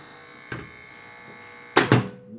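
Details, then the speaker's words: Brastemp Clean microwave with the door open: thin, steady electric buzz that two sharp door clicks cut off as it closes. "Tá escutando, pessoal, o barulho? Olha que barulho estranho. Tá escutando? Esse barulho tá estranho. Quando fecha a porta, ele abre, ele para de fazer o barulho."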